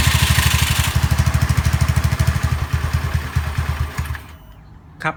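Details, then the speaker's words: Honda Zoomer-X fuel-injected scooter at idle: putters, beat slows and falters, stalls after about four seconds, worse with throttle; weak electric fuel pump suspected of starving it of fuel pressure. "ในส่วนของคลิปนี้เราอยู่กับHondazerรหัสxนะครับกับอาการปัญหาที่ว่าสตาร์ทติดแป๊บเดียวเครื่องมันจะดับเองครับ"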